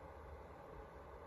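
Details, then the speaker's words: Hikvision recorder fan with cover off: soft steady airy whoosh, no ticking, rattle or rising whine; quieter with cover off, normal fan running. "but it is quieter when i remove okay so then it comes down to a whisper with the cover off"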